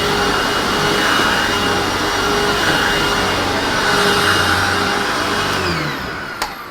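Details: Hoover WindTunnel self-propelled upright vacuum (U64xx series) after epoxy repair of a cracked housing that caused a horrible noise: even motor roar with steady pitch, no grinding or clatter from the drive, then winding down; normal running.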